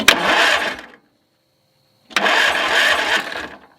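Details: Murray 40-inch yard tractor, 12.5 hp engine, after finding a rusty solenoid terminal: two short cranking bursts without catching; cranks but won't start, no spark found, starter smoking hot, owner suspects the magneto.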